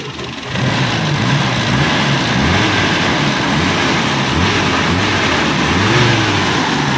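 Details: Toyota Kijang Super engine after overhaul, left running to monitor for changes: catches and settles into a steady idle with no knocking or ticking; healthy and even.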